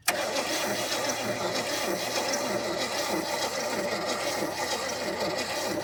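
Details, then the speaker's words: 1972 GMC truck that sat 30+ years, cranking after fixing vacuum leaks: steady six-second starter churning with no firing at all; owner thinks ignition timing is 180 degrees out, judged from the timing tab. "Well, it ain't even trying. No, sir. Well, here's the deal, fellers. I think we're 180 out on our timing."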